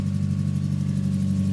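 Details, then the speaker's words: Mazda MX5 petrol engine after new HT leads and other parts fitted: deep, lumpy, uneven idle with the engine still shaking, a rough idle misfire; owner suspects plugs, HT leads, intake manifold gasket or injectors; starts quicker but sounds the same. "sounds like [ __ ] right so the engine is still shaking like"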